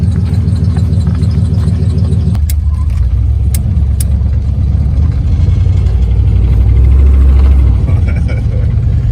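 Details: 1955 Chevy with a 4.8L turbo LS, first start after a starter replacement in winter following a blizzard: the engine catches and settles into a deep, steady rumble with no misses or knocks; it is running normally.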